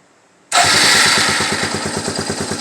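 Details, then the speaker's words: 1992 Suzuki LT230E Quad Runner after a cam chain tensioner adjustment that fixed a rattle. Quick start, then an even steady thump at idle; the ticking is gone and it is considerably quieter. Normal idle. "Holy crap! Ticking is gone. it is considerably quieter."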